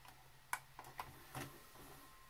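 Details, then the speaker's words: Emerson VCR fast-forwards and rewinds while playing but not from stop: a few faint clicks as it tries to engage, then it shuts off and goes quiet. A mode switch fault is suspected, not confirmed. "you'll see that it starts or wants to start and then it shows off down here it just shuts the shuts the whole thing off so i'm guessing it's probably a mode switch thing"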